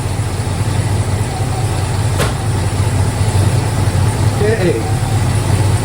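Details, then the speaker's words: Ford 302 5.0L roller V8 idling after replacing the failing lifters (clatter had been on cylinder three) with rebuilt OEM roller lifters and priming the oil. Deep, even idle with no clatter or tick; healthy. "running and it's not clattering."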